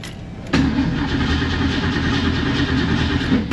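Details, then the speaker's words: 1970 Mustang cranks steadily about three seconds without firing; no fuel in the front carburetor bowl though the back bowl has fuel, good spark on a 20K spark gap tester; fouled plugs from the choke also suspected; fuel starvation. "at this point looks like there is no fuel in the front Bowl it's in the back Bowl it's got good spark"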